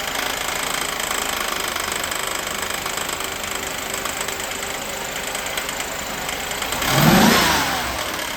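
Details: 1988 Mercedes 560 SEC (W126) V8 at idle with a steady rapping knock near four per second that swells louder at the end, forcing shutdown; cause not identified here, and it was fixed later.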